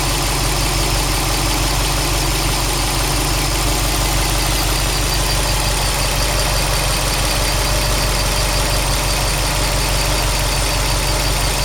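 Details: Subaru WRX STI after engine replacement, new engine 800 km, all original parts, no tuning, 5W40 oil, 2 bar oil pressure, 85°C oil, 21°C air: idle with uneven tapping about three per second over low rumble; abnormal noise, unknown origin.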